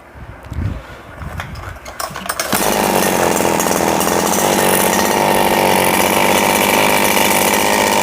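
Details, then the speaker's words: Four-stroke RBC 411 brush cutter with a broken clutch bowl, after replacing damaged clutch shoes: after pull start, steady, even high-speed run with no rattle or scraping from the clutch or blade. "ไม่มีเสียงดังเลยนะครับไม่มีนะครับ"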